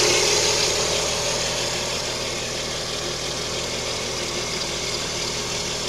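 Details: Lada Kalina with 11194 engine at idle: constant thin whistle over the engine hum, unchanging; timing belt whistle suspected.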